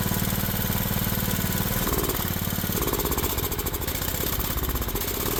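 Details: Craftsman riding mower engine after valve check, homemade carburetor gasket and governor adjustment: loud, choppy chugging at an uneven beat near three a second, speed hunting up and down; still running rough, carburetor suspected.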